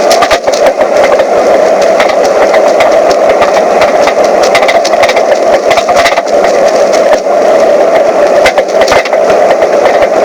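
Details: Mazda 3 driving: steady road roar with irregular sharp knocking, rattling and clunking over bumps from the right rear passenger side, caused by a corroded broken rear shock mount.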